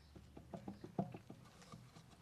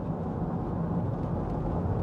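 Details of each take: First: Removed anti-roll bar drop link from a 2005 Nissan Elgrand E51, split boot, held in a vice and rocked with the mic close: quick, uneven knocks with faint squeaks; worn, loose drop link ball joint causing the suspension knock. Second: 2005 Nissan Elgrand E51 driving after new anti-roll bar drop links: only steady tyre and road rumble, no knocks or clunks over bumps where it used to make a disconcerting sound; front suspension quiet.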